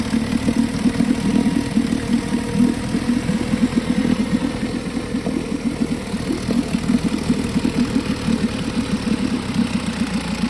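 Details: 1952 Johnson SeaHorse 10hp two-stroke outboard revived without new parts; fast crisp even popping holding steady, no misses or knocks; runs good, though needs pull rope, O-rings, grip and small gas leak fix.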